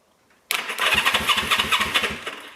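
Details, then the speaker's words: 1974 Honda CB360 motorcycle, first crank with coil and condenser borrowed from a CB350: starter spins the engine briskly with a quick, even churning rhythm and no dragging, debris blowing out the exhaust; starter sounds healthy. "stuff's blowing out the exhaust i'll tell you what this one's got a better starter"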